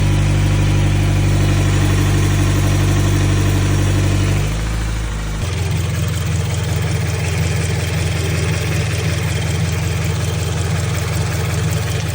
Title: 2016 scion frs ticking noise. any possible issues?